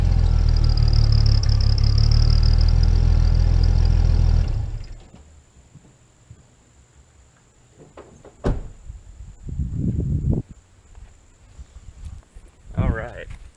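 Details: Jeep with a replacement, different-size turbo whistle fitted in the exhaust. A faint, thin whistle rides over a rough idle and the engine almost quits after about four seconds; the damaged whistle barely sounds.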